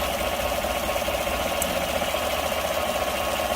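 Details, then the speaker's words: V8 truck after reattaching a plug wire found off the cylinder 1 coil: even steady idle with no stumble or tick; misfire gone, running smoothly. "There we go. Running smooth again. No more misfires."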